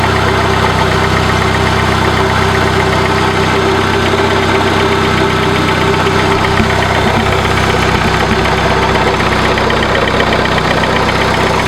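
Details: 1996 Dodge Neon at idle: a harsh, continuous grinding scrape over the engine from worn alternator bearings. It is louder when throttling up and is easily mistaken for an internal engine noise.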